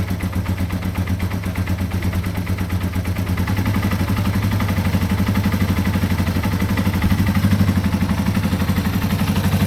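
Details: 2005 Yamaha TW200 single after valve adjustment and exhaust repair, owner had noticed a changed exhaust tone: steady, even thump around four beats a second, no misses or clatter; a healthy idle.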